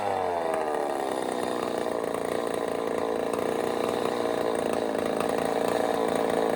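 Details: Echo 590 chainsaw on first start with a custom cylinder head, mixture screws turned out rich and not yet tuned: a very high-pitched scream held at full free rev with no surging or bogging. Small leak at the head seam near the plug, but it sounds amazing.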